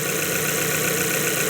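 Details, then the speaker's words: 2012 Mazda 3, 2.0 L naturally aspirated, owner complains it runs rough: warm idle with an uneven, lumpy beat and irregular stumble, not a dead miss, a misfire traced to cylinder wall scoring. "it's got a shape. It's not like a dead miss."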